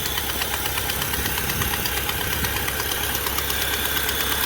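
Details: Fiat Palio Fire 1.0 8v petrol idling with a sharp regular tick about three per second, sounding like engine knock but from a burnt exhaust manifold gasket, confirmed leaking with soapy water.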